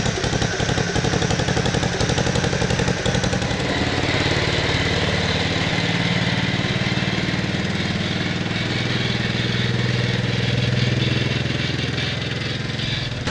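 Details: 1969 Bolens 850 tractor, Wisconsin S8D 8.25HP single-cylinder, run after carburetor initial adjustment while tuning points: revving hard, uneven rough knocking through exhaust beat; knocks badly at high RPM, idles poorly, smokes; cause unclear.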